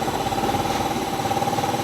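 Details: Yamaha Mio 125 RR scooter with a fast-draining battery and a non-working headlight. Steady, even idle with a smooth mid-pitched hum and no knocks. Charging about 13 V at idle, rising to 14 V with throttle, so the charging system is normal; normal idle.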